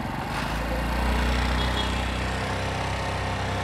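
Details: Small motorcycle with an idle that wouldn't drop back down, traced to air leaking in at a loose intake manifold bolt causing lean mixture: after tightening, steady even low putter at about four beats a second.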